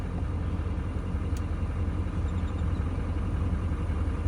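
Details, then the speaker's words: 2017-2019 Chevy L5P Duramax 6.6 diesel idling just after No. 4 injector pigtail replacement and code clearing, after sitting two days: quiet, even low rumble with no knocks, misses or whine, sounding healthy. "I mean, it looks it sounds like it's doing pretty good."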